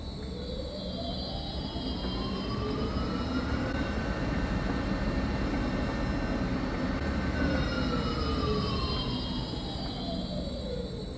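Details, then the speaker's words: Large new lathe at its first start-up in the high speed range, about 300 rpm with a big chuck: smooth gear whine climbs as the spindle spins up, holds steady, then falls away evenly, with no knocks. Healthy running. "Vì vậy, 300 vòng/phút nghe có vẻ không nhiều nếu so với máy tiện hàng đầu của chúng ta có thể lên đến 1200 vòng/phút. Nhưng với mâm cặp lớn như thế này, nó quay rất nhanh."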